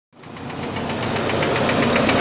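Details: 2003 Chevy S10 2.2 four-cylinder at idle: quick, even ticking knock riding steadily on top, started after new spark plugs and wires fitted in correct order; cause not yet identified.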